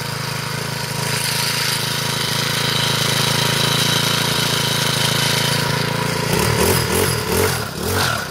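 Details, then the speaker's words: Troy-Bilt four-stroke weed eater after clutch repair, cold start on half choke: small engine settles into a steady, even run and picks up cleanly on a few throttle blips; runs normally. "start it up here it's cold leave it on half joke for a minute or two"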